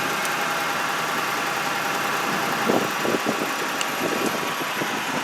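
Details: 2003 Ford F-150 with 4.2 L V6, first start after replacing the fuel pump to fix an intermittent crank-no-start; even, steady idle with no stumble, misfire or tapping, running smoothly with no leaks.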